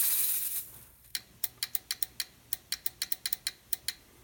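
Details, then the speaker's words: Fuel injector pulsed by hand with a push switch and 9-volt battery while being cleaned with pressurized carb cleaner: crisp, sharp clicks on each pulse with no buzzing or sticking; normal injector operation. "And then when you can hear it click, I pressurize it."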